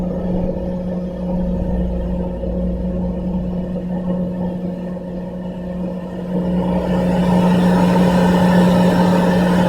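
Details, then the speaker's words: Campo 200,000 BTU heater after the thermostat is turned all the way down: steady even fan hum, no burner roar; the fan runs on so the heat exchanger cools properly without cracking, then shuts off after a few minutes. Normal fan run-on. "So you'll notice that the fan stays on. That does that for a reason. That is so that the heat exchange can cool down properly, and so that you won't have any issues with cracking and damaging the unit in total."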